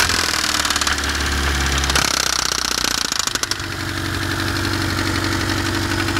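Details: BMW E30 with M10B18 four-cylinder at idle: a sharp, irregular tapping knock that comes and goes over a steady engine note; unexplained intermittent engine knock, cause unknown.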